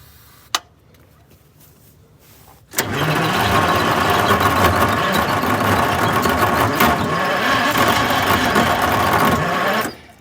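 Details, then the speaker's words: GM 4104 bus, Detroit Diesel 6-71, cold start on a morning of about 35–40°F after a night in the low 30s: loud, rough cranking at three to four turns a second with a harsh grinding edge. The starter sounds worn and terrible; harsh starter cranking noise. "that starter sounds terrible"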